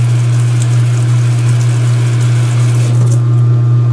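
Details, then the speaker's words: Speed Queen washer washing sheets, draining: loud, steady low drain-pump hum with water gurgling, even pitch; the pump removes water faster than it comes out of the filter; healthy operation. "Well, the drain pump always adds more than, or rather removes more than comes out of the filter."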